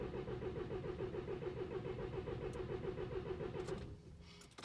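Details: 2014 VW TDI CJAA diesel, tuned, no codes: even starter cranking at about 3.5 pulses a second that never catches; fuel pressure OK per VCDS, exhaust blocked by a broken turbo shaft.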